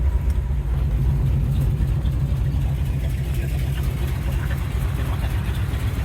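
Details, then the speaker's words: 1951 Ford F1 with rebuilt engine and new wiring harness, brought down to idle; deep, even low idle, well below 1500 rpm, soft steady beat, no misses, knocks or rattles. Normal idle. "Now she's a purring. But see, you can hear from that, like that is not hitting anywhere near 1500 RPM at idle."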